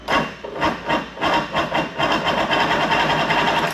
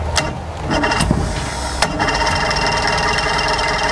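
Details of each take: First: Mercury Force 120 outboard, dead 12 years, compression test on cylinder one: even rhythmic cranking chuffs, no misses or scraping; reading about 121; normal compression-test cranking. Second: Mercury Force 120 four-cylinder outboard, dead 12 years, grounding corrosion identified as the problem, cranked on earmuffs; steady starter whir with a rapid uneven chug for about seven seconds, never firing. Owner suspects a carburetor problem; the starter also won't disengage.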